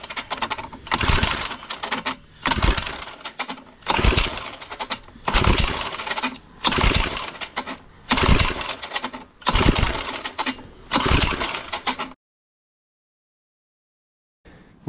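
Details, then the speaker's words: Cheap secondhand small tiller (motoculteur) being pull-started: repeated pulls about every 1.5 seconds, each giving a few sputtering pops that never catch; owner plans to clean the spark plug and check fuel delivery, something still missing. "je vais je vais essayer de faire un nettoyage de la bougie je vais essayer de voir si l'essence arrive bien parce que là tu as vu ça commence à péter donc je pense qu'on tient le bon bout mais il manque encore quelque chose"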